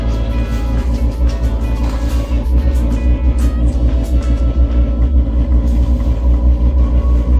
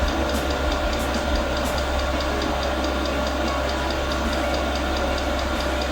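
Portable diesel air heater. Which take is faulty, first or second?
second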